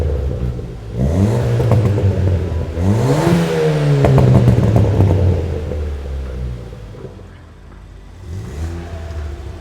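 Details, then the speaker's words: Ford Fiesta ST with Milltek cat-back, after replacing backbox delete with rear silencer: blips rise and fall smoothly with deep, subdued note; previous constant drone gone, exhaust properly quiet. "that's the back box fitted and on the first startup it's notably quieter so let's get it on the road and show you how it really sounds so as you can hear the Drone from the exhaust is now gone"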